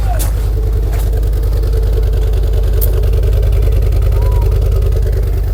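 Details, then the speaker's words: 2006 Ford Focus ST225 first running in over a year: loud, low thumping idle with uneven pulse, running rough; owner says it sounds like a water pump, head to come off. "it is not running happy at all sounds like a bloody water pump"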